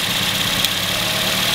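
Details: Engine idling with a lumpy, uneven beat and more shake than normal; the first cylinder is dead because its coil-over-plug ignition coil is unplugged for testing. Misfire from the disabled cylinder.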